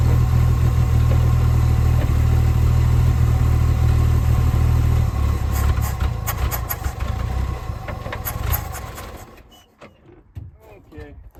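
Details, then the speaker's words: 1966 Chevrolet C10 farm truck, last licensed 1979, restarted to test clutch and gear engagement: a steady, lumpy idle never picks up revs, then fades and dies. The engine is not taking throttle; owner suspects the carb may need a rebuild. "So, I don't know if it's grabbing gears, and it might just be because the carb ain't really taking any throttle. So, I may actually need to rebuild that."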